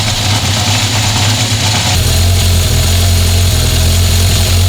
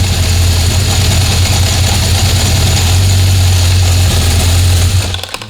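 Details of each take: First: 1976 Honda CB750F1 four-cylinder after carburettor balancing: even, steady idle set around 1200 rpm, smooth low drone, no stray knocks, responsive. A worn chain is noisy at idle but quiet at 2000 rpm. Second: 1976 Honda CB750F1 during carburettor balancing, carbs levelled to within 2 Hg: steady, fast, even drone; the idle rose above the 950–1000 rpm target and must be brought down.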